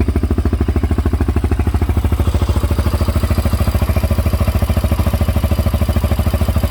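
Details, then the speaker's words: 2004 Honda 400EX with 440 big bore kit, total cold start after reassembly: single cylinder thumping evenly, no valve-area clicking once missing intake rocker wave washer was refitted and valves readjusted; normal quiet idle. "awesome no leaks that's just the oil that's spilled on the header turn it off success nice and quiet right up"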